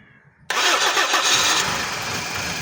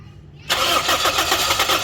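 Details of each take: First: Toyota Corolla with gas kit, morning hard-start problem, after reconnecting sensor connectors including cam sensor: cranks briefly, fires first try, settles into steady idle with no stumble; starts normally. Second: Toyota Corolla with gas kit, morning cold no-start: ignition coil current, injector pulse and fuel pressure all fine, yet starter cranks steadily without firing; engine coolant temperature sensor wire found broken. Crank no start.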